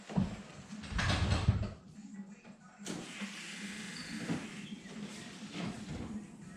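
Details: Start-up after the exhaust was fixed, where the back box had not been bolted to the centre pipe, on a believed-standard exhaust: a few rough bursts, then a steady, quiet, even idle with no blowing. Much quieter than before, and the little-worked engine sounds pretty good.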